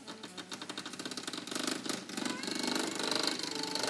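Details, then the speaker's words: Hornby R.084 Class 29 model diesel locomotive (1978-79) motor after cleaning, running on half-wave power: small motor buzzing in quick even pulses about eight a second with a dry creak riding on it. "You hear it creaking away."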